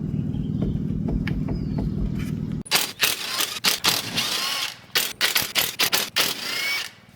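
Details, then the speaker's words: BMW E30 original rear differential rocked by hand on the bench: short irregular metallic clunks at each direction change from loose carrier bearings with about half a millimetre of play. "Okay, so it seems that the bearings in the diff are totally loose for some reason. There's like half mm of play if you can hear"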